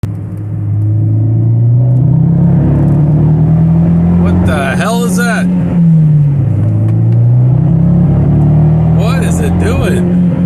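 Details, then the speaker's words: Fiat 124 Spider under full throttle: engine note climbs then stumbles and breaks up repeatedly, only about quarter throttle possible before misfire; check engine light on, fixed by upgrading to Alfa 4C ignition coils. "it's uh breaking up whenever i get on full throttle uh i can really only give it about a quarter throttle before it starts breaking up and making that awful noise you just heard a minute ago"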